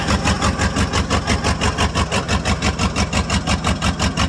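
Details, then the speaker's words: 1995 Ford F-150 5.8 L 351 cold start, blows steam: lumpy, shaky idle pulsing about three times a second, loading up on gas, several cylinders not firing; head gasket or cracked head suspected. "oh she does run quite poorly [Music] but loading up on gas bad and not firing on any well probably six of cylinders maybe if you're lucky"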